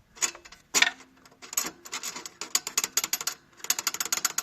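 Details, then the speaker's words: 2012 Audi Q5 turbocharger, engine off: short bursts of metallic clicking as the wastegate actuator rod is worked; worn bushing with play stops the flap sealing, turbo can't build full boost, a common Audi problem. "So this is a common problem on the Audi turbochargers. What happened is that bushing develops play, and it's causing that flapper not to seal tight."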